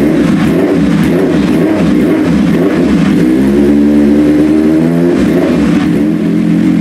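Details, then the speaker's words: Carburetted fighter motorcycle build, first start after 2.5 years off road, no exhaust baffle: fires, settles, blips up and back cleanly, runs evenly but very loud, no fuel or oil leaks; normal running. "okay now it runs it runs it doesn't leak there's no fuel leak in anywhere there's no oil leak in anywhere"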